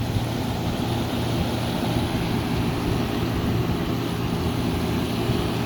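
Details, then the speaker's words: Mid-to-late 1970s Admiral Super Deluxe window air conditioner on test run before install: steady, even low hum with smooth air rush, no knocks or rattles; blowing cold, coil frigid, little heat at rear; running normally. "Wowee, is it blowing cold. And this coil is frigid to the touch, yo. Alright, well it definitely works, so test run successful."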